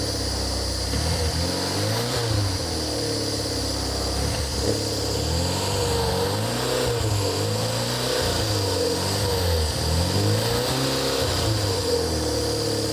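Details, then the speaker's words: Barn-find rear-engined Czechoslovak Skoda, long stored, run with fuel fed into a jug, on choke. Fast idle rising and falling through several blips, pulling cleanly with no misses, knocks or rattles; normal running on choke. "Got on choke. You see got on choke."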